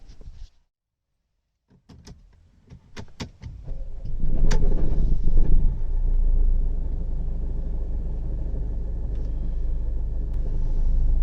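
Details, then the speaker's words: Mercedes CLA 200d diesel starting up with no check engine light: a few clicks, then a rough, loud, prominent rattle that settles into a low idle. Flywheel rattle at start-up and low rpm. "you there is no check engine light but it has a very weird and prominent rattle"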